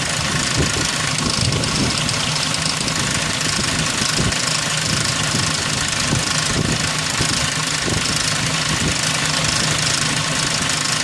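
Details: 2003 Ford Ranger 4.0 V6 at idle: loose, uneven metallic rattle and knock running constantly over the engine note; timing chain rattle.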